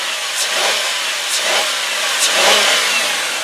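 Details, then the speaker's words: 2002 Ford Taurus S wagon, 3.0 L V6, revved in place: clean rise and fall, no knocks, no high-rev knock, no valve train, lifter or tapping noise; healthy engine. "So yes, that motor sounds good. There's no knocks, no high rev knocks, there's no valve train noise, no lifter noise, no taps, just all around very, very nice."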